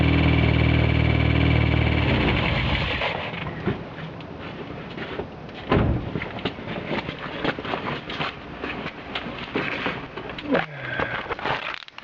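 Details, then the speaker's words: 1G DSM engine after cranking: it settles to idle with a steady deep knock about three to four times a second. Rod knock suspected; milky white was seen afterwards. "So, thinking we're going to have I think that's rod knock. I think you all can agree on me on that one. That one be rodnog for sure."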